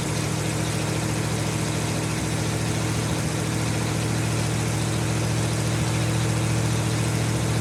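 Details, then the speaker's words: 1952 Ford F-1 first start in 28 years after oil and sludge cleanout, carburetor rebuild and PerTronix ignition with new plugs, wires, cap and rotor: steady, even idle with a regular low pulse and no knocks or misses; running smoothly. "I got it running! Woo!"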